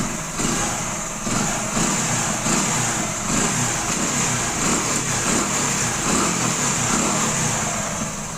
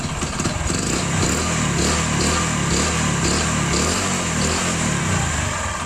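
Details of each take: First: 2008 Hero Honda Splendor carburetor four-stroke, crankshaft/connecting rod sound check after servicing: steady, even idle with smooth hum, no knocking or tapping; bottom end healthy, normal idle. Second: Old Hero Honda Splendor four-stroke single, no exhaust smoke: uneven knocking from the bottom end over the exhaust note, from the crankshaft connecting rod; seized/worn connecting rod big end.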